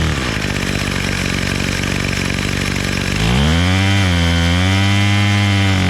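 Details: Bolens MTD BL-160 25cc two-stroke trimmer after carburetor clean and low mixture screw reset, choke off: steady buzzing idle about four beats a second, then clean rise to a high even scream at full throttle; runs right.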